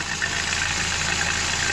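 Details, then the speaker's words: Engine idling: irregular misfire under a loud hiss as combustion pressure pushes into the cooling system, with mayonnaise present; blown head gasket. "missing badly very very badly coming up through there that all that pressure when this cap is on he's just going through the engine"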